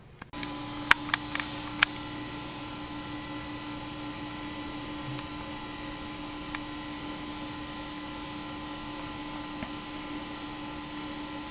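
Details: Macintosh Classic compact Mac computer running: steady, even fan whir over a low constant hum with a few clicks at the start, nothing uneven; machine running normally.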